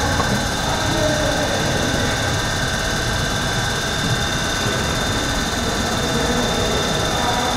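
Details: Surface grinder dressing the grinding wheel, magnetic chuck on; steady hiss with even ringing tones from the spinning wheel and light, consistent dresser contact; runs smoothly and normally.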